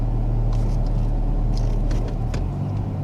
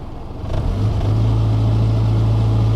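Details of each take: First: 2000 Toyota Camry after fixing a cylinder 4 and random misfire by replacing the plug wires and clearing the codes: steady, even idle in gear with no stumbles or misses, misfire counters at zero. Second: 2000 Toyota Camry with cylinder 4 and random misfire codes, engine revved in neutral: it stumbles briefly as it climbs, then holds a steady drone; misfire the scanner didn't count, plugs and wires suspected.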